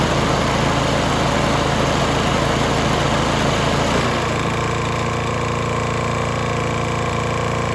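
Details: Toro Timemaster mower, bought as "locked up" but actually a sticking belt, fresh gas, key start: the small single-cylinder engine runs with a steady, even patter, then drops to a smoother, lower idle; starts and runs fine.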